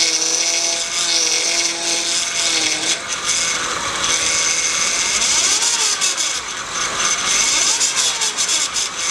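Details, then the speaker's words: Honda power steering pump, roughly 2002 onward: loud whine that changes pitch as the wheel turns, vibration felt at the pump. Cause is a deteriorated O-ring on the pump inlet hose letting air in; pump may also be damaged. "that whining noise coming from the power comes right here and if you touch the pumps don't touch the phone they touch the pump you actually feel the vibrations"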